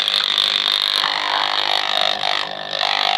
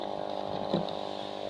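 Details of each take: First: Marina 200 aquarium air pump, screwed down and plugged in, giving a harsh steady high-pitched buzz even with cover on; diaphragm holder rattling against pump base, fixed by placing two cardboard pieces under it. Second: Marina 200 aquarium air pump after a noise fix (gaps sealed with super glue, cardboard cushioning against vibration, screwed down): soft steady low buzz, barely audible, no rattle. Normal quiet running.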